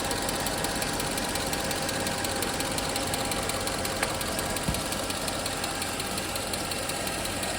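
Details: 2008 Mercedes-Benz GL 550 V8 that had sat not running, now starting with a used replacement SAM module. A fast light tick rides over the idle, suspected to be a lifter not yet pressurized with oil; some smoke and a water drip were also seen.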